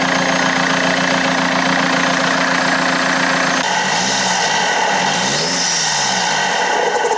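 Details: BMW E90 320d diesel after new turbo fitted, air filter removed, warming up on a cold day: steady even idle, no turbo whistle or whine, some handling noise; healthy.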